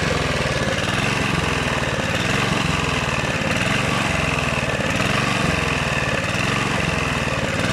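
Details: Rebuilt Honda GV150 engine, transmission not yet refitted: runs fast but lumpy, surging about every two-thirds of a second; owner suspects choke, ignition fault at the coil, the unchanged spark plug, or fuel filter; unconfirmed.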